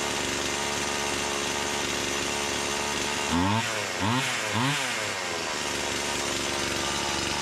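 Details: Stihl MS170 with Amazon replacement motor, after swapping the Holzfforma carb for a brand-new stock OEM Stihl carburetor: three clean rev-ups from steady fast idle, less smoke; owner says it woke it up; normal running.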